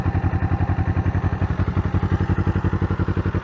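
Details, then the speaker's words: 1981 Suzuki GS250, warm: even, steady putter with no misses or knocks, idling a little over 1 on the tachometer. Normal idle. "Sounds good. Idle's very good. Idle's at about a little bit over 1."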